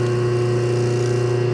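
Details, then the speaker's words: Rebuilt 1/2 hp dual-voltage single-phase motor with new capacitor and bearings, refurbished centrifugal switch, running unloaded and not bolted down: steady, even electric hum with a clean low tone, no rubbing or scraping; spins freely, sounds healthy. "all right we got it all together spins nice um I don't hear any rubbing or anything like that"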